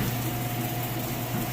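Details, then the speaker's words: Whirlpool top-load washer in its final spin cycle with a fairly heavy load: smooth, even whirring hum at full speed with a steady low drone and no knocking or banging; spin works normally. "Spinning nice and fast, doing sounded like a little bit of a rinse there. But it is going to be at top speed now"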